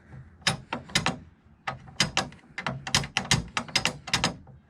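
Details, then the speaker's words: 1st-gen Dodge Cummins truck bed with upper tailgate bumpers but no lower ones: sharp metallic clinks and rattles in irregular bursts as the tailgate is shaken, as happens when driving over bumps. Tailgate strap rattle. "but this one doesn't have the lower on both sides but it has the upper so i'll show you i'll show you what i'm talking about here but this is what i'm talking about and this is the noise i'm referring to"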